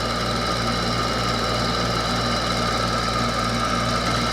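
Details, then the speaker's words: 2003 Frigidaire window air conditioner: loud steady hum with a coarse rattle running through it and no speed change; abnormally noisy motor, cause suspected, not confirmed. "the damn motor sounds worse this one these hair conditions are only a few years old and these Hampton Bay air conditioners are shot"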